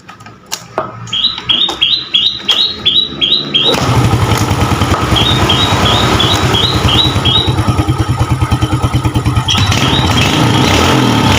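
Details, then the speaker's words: Yamaha Jupiter Z motorcycle, cold engine in the morning, after the carburetor was taken apart; it had been hard to start when cold and needed choke; now catches at once on one press and settles into a steady, even putter. "nah guys ini motornya enteng dan sekarang tidak susah hidup ini dalam keadaan dingin mesinnya masih dalam keadaan dingin"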